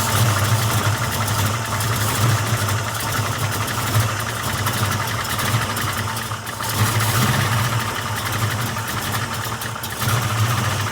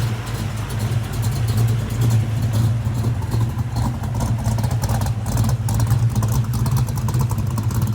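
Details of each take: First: Ford 347 stroker V8 with Anderson N91 cam, 205cc 11R heads, 750 carb, just after lifter change and first start; rough lumpy idle with a fast light tick or clank beneath; noise quietening but still present, likely lifters not yet pumped up. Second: Ford 347 stroker V8 with Anderson N91 cam, 9.5:1, 205cc 11R heads, 750 carb, after lifter change, heard at the rear: deep choppy uneven loping idle, no valvetrain clatter; front sounds quiet, healthy big-cam idle.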